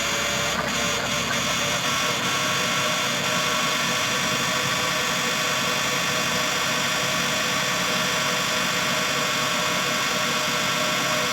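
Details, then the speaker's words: Suzuki Transformer van (DA17/DA64) with no AC cooling due to contaminated freon, engine running: steady loud whirring drone with a rattly edge from the AC compressor; noise remains after refrigerant was recovered. "Nandiyan pa rin yung ingay niya pero na-recover natin at saka na-retrieve natin yung compressor."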